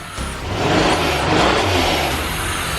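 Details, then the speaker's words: 1986 Pontiac Fiero GT (Ferrari F355 replica), on 4-5-year-old gas, given a throttle blip in the garage: it revs and holds with a thin high whistle over the roar, because no air intake is fitted. "Like I was saying, it's gonna be whistling because there's no intake on it."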